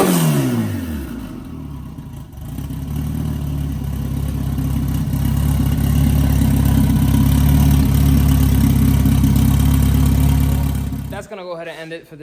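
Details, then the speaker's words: Big-turbo Honda F20B EG hatch, started after new TPS fitted, throttle body and intercooler pipe done; cranks, catches, strong steady idle, smooth even firing and clean revs, no knocks or misses; sounds good, normal start and revving. "You've seen the hatches running, sounds good. Now we gotta kind of just button up a couple little things here and there"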